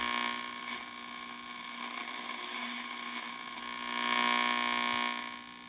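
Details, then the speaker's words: 1952 Wards Airline AM tube radio during restoration, after fitting a new 12AU6 tube that brought the line to -1.8 V: steady buzzing hum with a faint, distorted station; still weak reception, cause not found. "Okay. Well, that's different as well. I hear a faint station."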